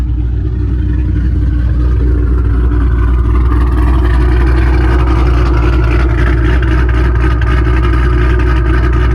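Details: Mustang 3-valve V8 after aftermarket cam install on both sides: deep, heavy rumble with a lopey beat that swells as the throttle opens; runs strong and healthy, idle noted slightly high.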